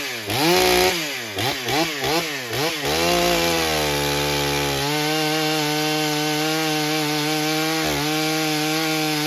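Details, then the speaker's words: Stihl MS661c chainsaw rebuilt with a forged Wiseco piston, first tank on 40:1 mix, 32-inch bar cutting soggy old poplar: the saw warbles and burbles, four-stroking (running rich) on the first cut, then clears to a clean high scream. "You could kind of hear it four-stroking a little bit on that first cut, and then it started to clean up in the second cut for sure, and really was doing nice."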